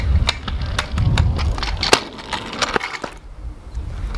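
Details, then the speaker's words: Razor Pro fold-up scooter jump-tested off a small edge: sharp scattered clacks and a rattly thud on landing; loose clunkiness on impact, less ideal for tricks. "you'll see it Lance there's a bit of clunkiness in like it landing makes it maybe not ideal for like tricks and stuff"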